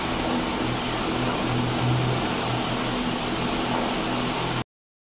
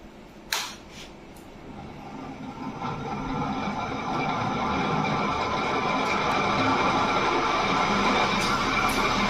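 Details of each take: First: Small fan after repair of its khat-khat knocking (a stuck old bearing was removed with a machine): it now runs fast with a steady air whoosh and faint low hum, no knocking, which is normal. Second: Fan switched on, spinning up into a steady rattling knock about three or four a second from a worn bearing.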